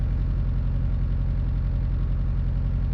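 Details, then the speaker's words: High-power Evo IX, cold start at 30°F, not fully warmed up: lumpy idle about four pulses a second coming and going; cylinder 3 misfire, its temperature dropping 300–350° below others; moving coil pack didn't change it, coil ruled out. "the car car hasn't finished fully going through its warm-up cycle so it's going to idle a little bit weird especially whenever it's misfiring and we keep shutting it off before it gets up to Temp all right I can feel our misfire starting to come around"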